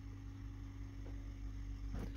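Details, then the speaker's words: Gen 2 Toyota Prius during Techstream linear valve offset procedure: steady low electric hum of the brake accumulator pump charging normally, with faint ticking of the valves as they calibrate. "you can hear the accumulator running as it's calibrating the valves here are the accumulator running you hear the ticking tool the background is the valves are sinking"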